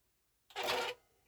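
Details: Marantz CD-63 mkII CD player after serviced tray mechanism: short, smooth whir of the drawer about half a second with a faint knock at end of travel; quieter than before service. Normal disc tray operation.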